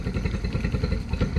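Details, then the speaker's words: 2013 Yamaha 9.9 four-stroke outboard at about quarter throttle: uneven, lumpy low drone with irregular pulsing, no clean rhythm, boggy though it will idle; rough running. "okay problem confirmed runs like crap okay it will idle good deal"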